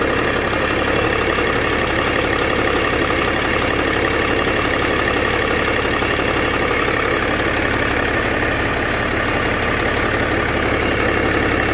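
Steady diesel idle with a faint, uneven ticking rattle over the rumble; something's noisy at idle, turbo suspected but unconfirmed.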